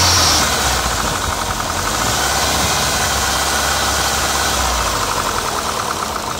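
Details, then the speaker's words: PT Cruiser GT, started the morning after a two-hour drive: loud harsh clacking about four per second over rough idle, diesel-like; valve stuck open from a sheared cam pin. "i know what you're thinking that sounds horrible it does"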